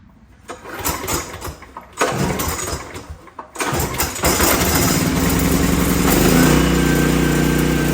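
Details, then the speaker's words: Old 5500-watt gas generator needing only an oil change, started with a few rope pulls, catches within seconds and settles into a steady even run; starts and runs normally. "now this one all I got to do is change the oil it runs good so no problems with it"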